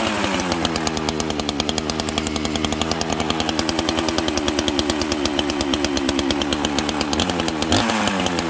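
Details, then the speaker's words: 1985 two-stroke chainsaw with a governed carb, strong compression, pulls a 3-ft bar: runs at a high crisp even buzz with no misfire or sag; healthy running saw. "this will pull a 3-ft bar no problem and it just it runs good and it's not too heavy"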